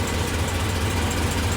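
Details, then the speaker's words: 1940 Ford COE custom rollback at idle after refilling coolant and fitting a replacement belt: steady low even hum, no squeal or chatter; AC compressor running smoothly on the new belt, air working. "got it here got it on as you can see the compress Lu is on it's actually cool you can hear it see working air wow"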